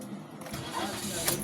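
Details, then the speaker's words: Toyota Vios gen 4, 77k odometer, that needed two starts, after the fuel check valve was replaced and the car rested: brief crank catching almost at once into an even idle; hard starting fixed. "Start natin. Tingan natin kung hard starting pa. Aray ko. Okay na. Okay na idol."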